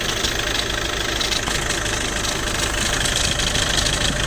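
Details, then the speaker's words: Skoda Superb at 605,000 km, DSG, heard from under the car at idle: loose dry clatter about three rattles a second from worn dual-mass flywheel; replace together with clutch set. "takır takır ses geliyor şu an volantımızda ses mevcut Lakin uzun vadede daha da problem çıkartabilir"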